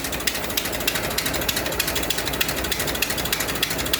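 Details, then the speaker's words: 1924 Dodge truck engine, about 100 years old, at idle after carburetor and fuel system overhaul, repacking and timing chain tightening: slow, steady, evenly spaced ticking about three beats a second, no misses or knocks; smooth normal idle. "that's running pretty dag on smooth consider I haven't done anything to this engine except go through the carburetor and that crazy fuel system over there"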